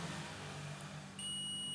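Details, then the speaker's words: Quiet room hum, then a steady high-pitched beep as the multimeter probes on continuity setting are shorted together, confirming the tester works before checking ceiling fan motor wires during a bearing replacement. "ये beep की आवाज़ आ रही है।"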